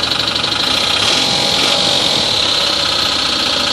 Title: Towing - NIce Job Nissan Engine knock